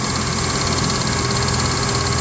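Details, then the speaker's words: 1995 Ford F-150 with the 300 engine at idle: fast, steady loud ticking over the engine only while the AC compressor runs, stopping when it is switched off; owner unsure of cause. "but when i turn on the ac compressor it clicks very loudly"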